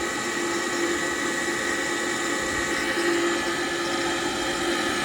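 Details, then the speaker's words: Gas furnace inducer motor, stiff but not locked, freed up and started: steady rough whirring hum with a gritty rush that never smooths out; motor running badly, to be replaced. "so it may start now but we're definitely still going to replace it but we'll try it there she goes sounds terrible"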